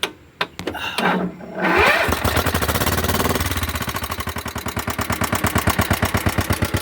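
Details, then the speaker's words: Old Husqvarna LR125 riding tractor, sat a very long time, started on another battery: cranks and catches, then uneven stumbling thudding around three beats a second, smoking a lot; owner suspects overfilled oil or long storage, not confirmed. "Well, she runs sort of. It's possible I put in too much oil. It's also been setting for a really long time."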